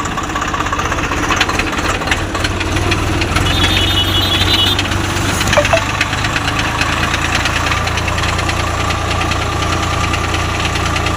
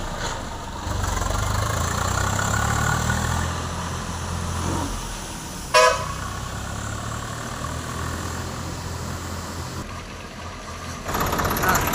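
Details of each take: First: Swaraj 744 FE tractor, gearbox noise in every gear, at idle too, worse in the field under load: rough gnashing clatter over the diesel idle, the same in each gear; stripped teeth on the always-meshed PTO drive shaft gear. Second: Swaraj 744 FE tractor after gearbox repair with new parts for an all-gears noise: pulls away and runs evenly with no whine or grinding, a horn toot nearby; all gears road-tested quiet.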